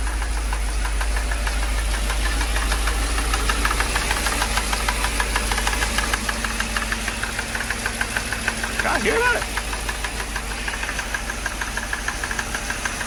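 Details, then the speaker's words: Mercedes project car, battery and check-engine lights on: loud even knocking about three per second over rough idle, like a drum line; internal knock, source not yet located. "sound like it's coming from this area that sound like the drum line at a football game what is that i can't tell where it's coming from"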